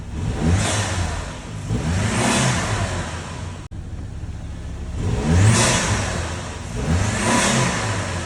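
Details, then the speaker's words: Saab 9-3 first generation B205E turbo engine after serpentine belt change, air filter box off: several clean revs up and down with turbo whoosh, no squeal, chirp or slap; normal revving. "a good idea is to know test if it works by getting on some RPMs to listen for any sounds"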